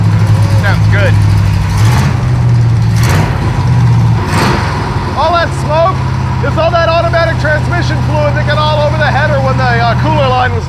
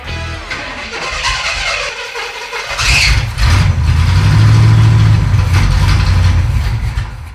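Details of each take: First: Junkyard Pontiac T-37 revived with a new carburetor, mixture just richened: a deep V8 holds a steady, even burble with no stumble or knock, with voices and music over it. The engine runs cleanly. Normal running. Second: Pontiac T-37 junkyard car, fed gas from a jug via mechanical fuel pump: steady starter cranking around four beats a second, never fires; crank no start from failed mechanical fuel pump.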